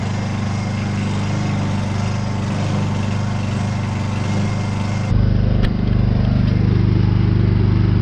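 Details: Honda inverter generator started on choke with old petrol after sitting unused: catches and settles into a steady, even drone with a firm low beat; running cleanly, normal running.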